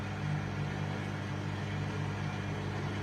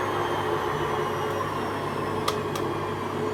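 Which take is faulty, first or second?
first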